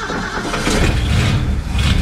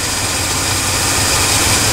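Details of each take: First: Ford wrecker V8 after an HEI distributor retrofit, freshly started and not yet warmed up: low, slightly uneven, lazy idle. Timing was first way high, then backed off and now seems slightly low, not yet set. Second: Ford wrecker V8 after an HEI distributor retrofit: smooth, even idle with a steady rumble and no stumble or miss, though slightly jumpy; running right.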